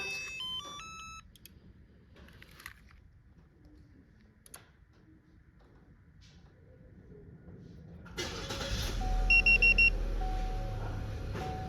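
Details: Prestige alarm and remote start just installed on a 2017 Chevy Malibu with an ALCA module and a resistor on the ignition wire; chirps and quiet clicks, then it cranks, catches about eight seconds in and holds a steady idle. Remote start works.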